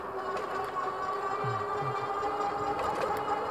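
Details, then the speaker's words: Troxus Lynx class 3 fat-tire e-bike on throttle, gearing up: a steady high electric whine from the Bafang hub motor under power over faint road noise and aggressive tires. "Yeah, so you can definitely hear the motor on this bike."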